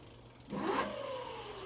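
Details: Tuttio ICT e-bike after swap to new metal-geared hub motor, 59.7 volts, bike leaned over, first gear, pedal assist one to five; motor spins up into smooth, steady electric whine with no grinding or clicking; normal motor run.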